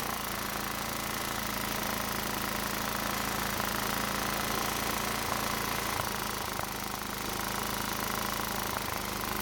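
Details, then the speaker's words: Toro walk-behind mower, being fixed for no-start and carb backfire, runs with an even, steady putter on residual bowl fuel, with the fuel line disconnected and the tank drained. "I was kind of surprised to see that it was still running after I stopped putting fuel in it."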